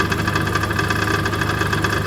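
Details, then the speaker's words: 2011 Chevy Aveo with misfire, idling: fast, tinny metallic rattle over the steady idle from the compromised substrate inside the exhaust-manifold catalytic converter, damaged by long exposure to the misfire. "so that rattling is the substrain inside the catalytic inverter on the exhaust manold it's obviously been compromised because of the the long exposure the M fire"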